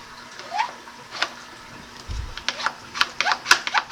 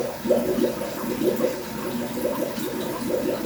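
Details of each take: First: Aged Fluval 406 canister filter on a 150-gallon aquarium, after cleaning: primer gives quick uneven plastic clicks and squeaks, about two per second, with no water rush; primer not drawing water, needs replacing. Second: Fluval 406 canister filter on a 150-gallon aquarium, primed with a power head and makeshift attachment: steady watery gurgling and sloshing as the pump fills and air and debris are pushed out; normal priming.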